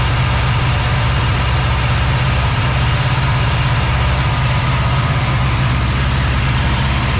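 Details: Cadillac ("Lil Debby") with a steady low rumble and even pulse, no misses or stumbles, after fuel-system diagnosis of a brand-new but failing fuel pump; no fuel return yet, possible vapor lock suspected; return-style filter to be refitted. Normal idle.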